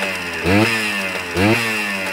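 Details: Kawasaki KE100 two-stroke being diagnosed for throttle hesitation, after its plugged exhaust baffle was cleaned: crisp idle with two clean throttle blips that rise and fall smoothly without hesitation or bogging; normal running.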